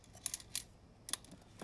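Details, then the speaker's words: 1994 Mercedes C280, serpentine belt removed, fan turned by hand: sharp, uneven metallic clicks and wiggle from a worn fan bearing bracket bearing, first suspected as a bad fan clutch; bracket and fan pulley were replaced. "So this next little video clip is going to show after I removed the serpentine belt, which actually wasn't as hard as I thought, but it did require, some finagling. So that was tough. You can hear the rattling of the bearings."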